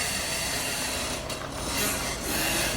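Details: BMW front suspension: dry, rasping creak swelling and fading as it moves, suspected from control arm ball joints, which were removed and filled with polymer before retesting.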